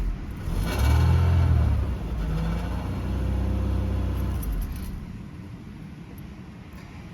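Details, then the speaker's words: 1993 Mercedes 220CE W124 coupe, M111 2.2 engine, at startup after a new fuel pressure regulator: low, uneven, lumpy idle that keeps wavering, still running rough. Owner now suspects the engine wiring loom. "that didn't work so it's not running properly still"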